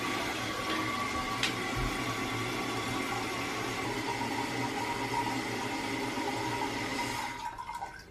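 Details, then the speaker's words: Toilet after its fill valve was replaced to cure vibration and loud noise after flushing: a steady rush of water refilling the tank with no buzzing, humming or shudder. The new fill valve is working quietly and normally. "right there's no vibration or loud noise so there you have a guy's problem solve"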